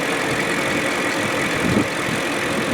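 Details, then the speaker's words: BMW 540i M62 V8 after timing chain guide replacement, one week of driving: steady smooth idle with no chain rattle or slap from the front of the engine, no check engine light or oil leaks; normal idle. "as you can hear the engine runs smooth that's how you do it"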